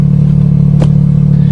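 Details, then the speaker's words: Repaired Nissan 200SX on a test drive after reconnecting the oxygen sensor left unplugged when the manifold was removed; revs quicker with stronger power, short burst of steady, even engine drone with no misfire, hesitation or clatter, healthy. "now she's perfect little red line for a good time she revs quicker that's more stronger power Lisa sounds like it anyways"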